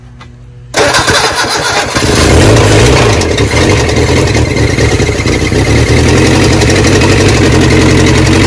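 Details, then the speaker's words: Barn-find 1979 Honda Prelude (sat for years) on its first start, kept running by pouring gasoline from a water bottle. Cranks and catches, then runs rough with a heavy, regular knock from the bottom end. Owners suspect a rod knock, likely why it was parked. "but it's got a huge rod knock down on the bottom end i kind of had a suspicion of that when we got it and that's probably the reason why it's been"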